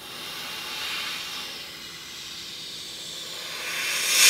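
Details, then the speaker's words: Tesla Model X window wind-noise test with air compressor sweeping the window trim: steady airy hiss that swells into a sharp blast at one spot, locating a failed rubber window seal air leak. "as soon as he hits that one area, it's just like it. It's just like a blast."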